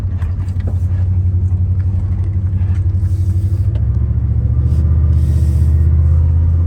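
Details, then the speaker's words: 1997 Dodge Ram 1500, 318 5.2L V8, after plenum gasket repair, driving at speed: steady deep droning rumble with a rapid throb under road noise; good power but horrendous rear end noises, pinion nut kept backing off; rear end noise. "It's got good power, that's for sure. It is making horrendous noises out of the rear end."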